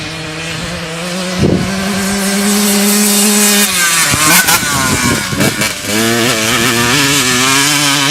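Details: Stock-motor 2002 Honda CR125 two-stroke dirt bike, first ride after purchase, with a badly stretched chain: a crisp buzz rises and falls cleanly with the throttle as it passes, with no bogging. The motor runs well and pulls hard.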